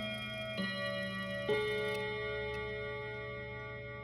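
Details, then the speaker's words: Westminster chime mantle clock after resetting the chime barrel: a few slow ringing chime notes are still struck out of order over a faint tick. The small cog is suspected to be engaged on the wrong tooth. "ah that's so annoying so close more fiddling required"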